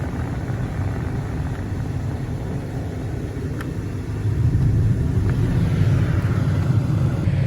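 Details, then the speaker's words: 2004 Chevy Suburban Z71 after blower motor resistor replacement, engine running: low steady rush of air stepping up to a louder setting; blower changes speed properly, normal operation. "All right. Now we hear the airflow. All right, you see it's plugged in. We hear airflow."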